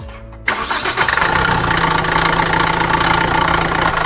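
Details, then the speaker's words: SAIC Maxus G10, Yunnei 1.9T diesel, 130,000 km, shaking and weak acceleration: starts then loose uneven clatter over idle, loudest at timing front cover, not injectors; both timing chains found very slack, fixed by replacing the timing set. "经过我们初步判断，这个异响是正时前盖这边发出来的。像这种问题，只有拆开才能找到异响的来源。"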